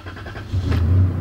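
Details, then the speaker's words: 1996 truck with 276 miles reading, scan tool connected, no trouble codes, started while watching live data: quick catch and smooth even low V6 rumble, no misses or knocks; short-term fuel trim 0–0.8%, timing and airflow sensor good. "Check it out, short term fuel trim is 0%. Okay, as you can see, this thing's got 276 miles on it, and its short-term fuel trim is zero, meaning it's running perfectly."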